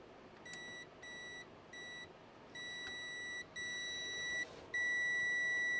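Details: Nintendo handheld console (Game Boy DMG/DS) under repair: clean high beeps in short bursts about every half second, then held steady. The speaker is putting out sound again after earlier silence and crackling.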